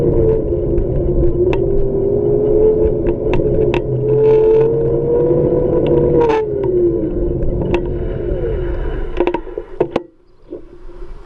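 A wavering whine with scattered clicks and scraping rises and falls, then fades as it slows; odd hub motor noise, cause unclear.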